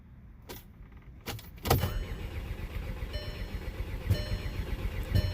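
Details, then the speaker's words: VW CC with fault codes, cranking with a fuel pressure gauge attached: uneven starter churn with sharp pops from the rear, but no start. Intake, injectors, both fuel pumps, N80 valve, camshaft sensor, plugs, coils and MAF were already replaced; cause unknown. "Here's my second attempt at trying to start. I added a fuel pressure reading. You can really hear the pops now. So, yeah, guys, I'm not getting any start."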